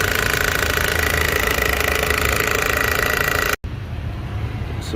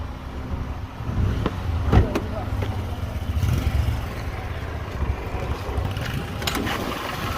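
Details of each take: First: Toyota Corolla 2005 1ZZ petrol engine running: loud, busy metallic timing chain rattle caused by a stuck chain tensioner, fixed by replacing the tensioner and guides. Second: Toyota Corolla 2005, 1ZZ petrol engine, after replacing the stuck timing chain tensioner and the left and right chain guides: steady low idle hum with no chain rattle; normal idle.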